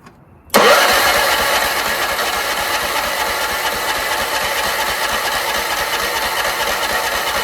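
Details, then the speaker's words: Troy-Bilt 30-inch rear-engine rider: ether sprayed into the filterless intake, starter jumped at the solenoid. It spins in a steady whirr but never fires. Spark check finds a rusty plug and no spark; owner suspects a safety switch, or water in the gas. "Not even any signs of it igniting. Got to check for spark now."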